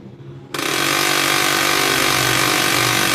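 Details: HP LaserJet P1102W laser printer making noise and not printing: harsh, loud grinding rasp pulsing about four times a second from a broken, jammed pickup roller; solenoid also repaired.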